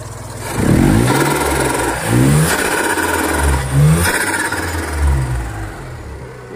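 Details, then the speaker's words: Perodua Kancil, off the road two years from a shorted fuel pump, after rewiring and fitting a new original Denso pump: the small petrol engine blips up and settles back cleanly several times, revving freely and evenly with no misfire or stumble. It runs healthy. "Jadi kita dah buat betul-betul. Alhamdulillah. Okey, dah siap dah. Dah hidup."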